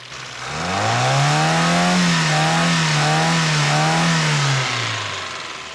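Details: 1973 Toyota Hilux after alternator replacement, voltmeter reading 13.6–14.2 V: engine revs up smoothly, holds a few seconds, settles back with no knocks, misses or whine; normal engine revving.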